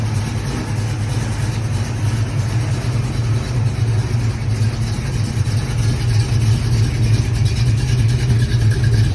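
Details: 1970 Pontiac V8 with iron heads and Rhoads flat-tappet lifters, cruising on the road: a steady rumble with light valvetrain clatter that is normal for flat-tappet lifters, not a fault.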